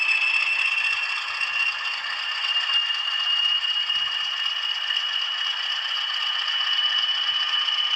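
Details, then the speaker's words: Older Bachmann Class 20 model locomotive with DCC sound, over 10 years old, started for comparison with new models: steady, fast, high-pitched metallic chatter with no bass; loud and rattly, likely worn gears. "I've forgotten how loud it is."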